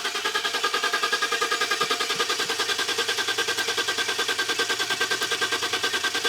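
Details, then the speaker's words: GM Vortec 4.8 L V8 truck, drive-by-wire, 220,000 km, starts poorly (owner suspects fuel pump): even, steady idle pulse about three beats a second with no ticks or knocks; idles nicely, no funny noises. "So it idles nice, no funny noises. So yeah, perfectly good truck, but thanks to Tuesley, we're gonna rip it apart."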